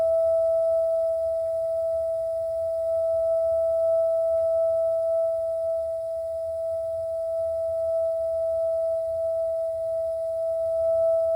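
A steady, pure mid-pitched tone with a faint higher overtone holds unchanged throughout; the water heater is singing, cause not yet found.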